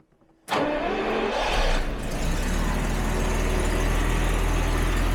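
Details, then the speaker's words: 1977 Jaguar XJ12 V12, recently back on the road after three years, cold start after throttle bodies closed slightly: brief crank, fast even cold idle with a faint puffing tick, an exhaust leak present only when cold; new parts to be fitted. "right yep we still have the exhaust leak but that's gonna get fixed it's really only there when cold and it goes away"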